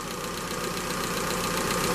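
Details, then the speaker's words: Engine on gas (LPG) injection, first start after oil change and hydraulic lifter noise treatment: even, smooth, quieter idle with only light fast ticking from the gas injectors, no lifter knock; engine healthy. "Может быть, это какое-то самовнушение, но вроде бы как двигатель работает тише. Только форсунки газовые цокотят, а двигатель, как вы видите, шепчет."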